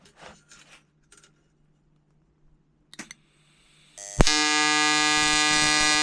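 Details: EWM Tetrix XQ 230 Puls AC/DC inverter TIG welding 5000-series aluminium lap joint: 2.4 mm 2% lanthanated tungsten, 2 mm filler, 94 A pulsed (0.20 s pulse/0.30 s pause), 150 Hz rectangular AC, balance −65/+35. Quiet clicks, arc strikes into loud steady harsh buzz; normal.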